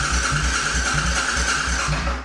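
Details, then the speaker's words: C50 rebuild, new battery and new fuel pump installed, first turnover: starter spins briskly with strong, even compression pulses about four a second and no clatter; healthy cranking. "That she does. All right. Sounds pretty healthy."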